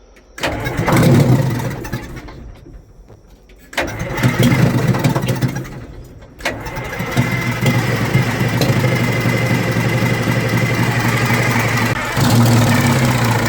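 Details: Old Detroit Diesel in a vintage GMC truck, with the exhaust disconnected at the manifold to rule out a blockage: it catches after a couple of tries, then runs low, lumpy and uneven while smoking; the cause was a restricted intake.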